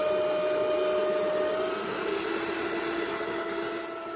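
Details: Bitmain AntMiner S9 Batch 3 (12.93 TH) on an alternative PSU, still booting with fault light blinking: loud steady fan roar with a clear whine easing slightly over a few seconds; normal startup fan noise.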